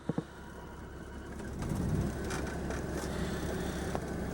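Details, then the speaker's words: Generator on a 1994 Itasca Suncruiser 34RQ diesel pusher (Oshkosh chassis, 230 Cummins, 137,243 miles), low on fuel: a few clicks, then it comes up to a steady, even low drone with no knocking or surging; normal running. "And I don't mind showing you the generator runs. I just can't run it very long because it'll run out of fuel."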